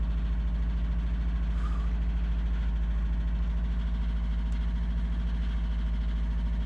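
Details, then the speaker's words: 2002 Subaru WRX with a 2.6 L EJ25-based STi hybrid built motor, forged internals, cold start around high 30s–40s °F in the morning: steady cold idle with a dull, even knock over the rumble; forged-piston slap, loud when cold. "i have a good amount piston slap in the morning it's actually pretty loud when it's cold out but i want to give you guys a quick view of it and show you what it sounds like"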